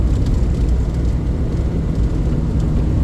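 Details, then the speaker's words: Daihatsu Atrai turbo cruising with AC on, after a fuel pump replacement and leaking hose repairs: deep, even engine drone with road rumble, no misses, knocks or whines, running smoothly. "Oh, listen to how good she's running, though. Oh, listen to that."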